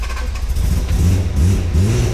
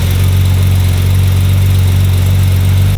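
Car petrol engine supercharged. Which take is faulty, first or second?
first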